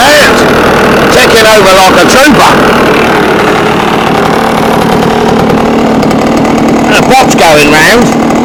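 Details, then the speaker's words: Scratch-built early-1970s radio-controlled boat, two-stroke engine revived after twenty years unused, water-fed cooling working: steady buzz with a couple of quick rev blips, picks up and holds; runs healthy and seems to cool itself. "so as you've seen people we've managed to get it to a point where it runs and it seems to cool itself"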